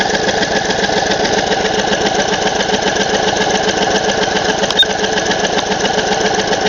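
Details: 2008 Craftsman YS4500 lawn tractor, garage-kept, non-starter being revived: fast, steady chugging at about four beats a second with an even rhythm and no catches, engine cranking over normally after solenoid gap adjustment, just before spark confirmed.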